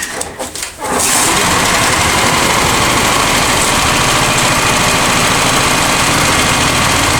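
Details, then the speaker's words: Honda EX1000 generator after carb cleaning, possible debris in fuel tank: small engine catches after a second, then runs with a buzzy, slightly uneven beat while still working things out; throttle was being worked the wrong way and idle needs manual adjusting. "I mean, it's still working everything out, as you can hear. That's the thing, it wants to run."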